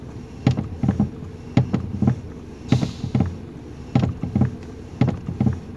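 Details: 2019 Toyota Rush, engine running, steering turned left and right: clusters of dull clunks about every second from under the steering column; suspension checked fine, cause loose column bolt and worn bushing; also pulls and vibrates, clunks over speed bumps.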